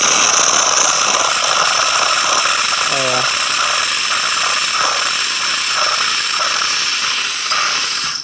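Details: Saeco espresso machine after full tune-up for a not-hot fault, final test: strong steady steam hiss once pressure has built, no sputter or pump strain; pumping and steaming normally.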